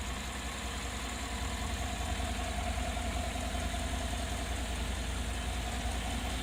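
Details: Idle recorded with the hood open: a low, steady hum with a soft, fairly regular knock under it, just under twice a second. The abnormal noise's source is still unclear.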